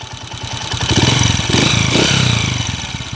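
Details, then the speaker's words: 2010 Honda TMX155 motorcycle, before overhaul: rough idle swelling into a rev with a rattly clatter on the exhaust beat, ticking noise, odd whine in neutral; noisy engine. "Ito po yung andar mga kabro malagitik tapos Mia nire neutral may miaw miaw"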